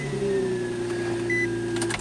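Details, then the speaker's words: 2004 Infiniti G35 coupe with code P0340 (camshaft position sensor bank 1) and check engine light: starter whirs steadily for a couple of seconds before firing; long crank, owner replacing camshaft sensors. "and it also when it's about to start it takes a little while to start"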